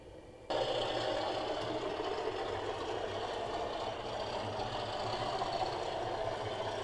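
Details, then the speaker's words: Accurascale Class 37 model locomotive: steady motor hum with uneven clunks and rattles as it rolls; the front axle of the front bogie derailed on the point before a single slip. "it's going all clunky I can hear it and the front wheels off"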